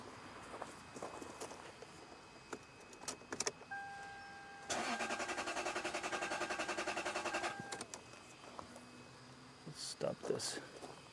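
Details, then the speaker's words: Lexus LS 430, customer complaint of crank no start. The starter churns steadily for about three seconds, roughly three and a half turns a second, and never catches. Testing shows no spark, and the ignition coil signals are being back-probed. "I hope you can hear the engine crank. So, the engine cranks, but it doesn't start."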